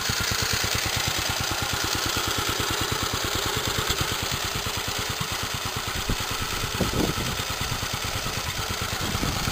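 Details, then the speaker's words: Restored, rallied 1946 J.A.P Model 5 single-cylinder stationary engine, described as economical over a full day of running: a steady, even firing beat with no knocks or misses, running smooth. Normal running. "So there we are, no nasty knocks. Runs really smooth, looks good, and £60, and it's yours."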